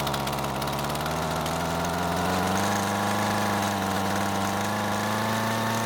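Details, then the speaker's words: Husqvarna trimmer after turning both screws counterclockwise and clamping loose fuel line: steady but unsettled idle with rough warble that never smooths; poor running despite 10–20 minutes of adjustment. "for the next 10 or 20 minutes I make more adjustments to it and things still don't get any better"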